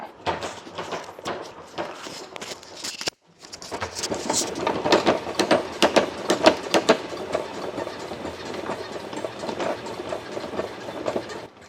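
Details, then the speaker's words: Shoni X-Bike indoor exercise bike, about a year old, after TF2 lubricant applied where the pedals meet the body: uneven clacking and rubbing as pedals turn with a faint squeak each stroke; squeak reduced but still present, cause unclear. "소리가 줄어든 거 같긴 한데 여전히 삑삑 소리가 나기는 하거든요"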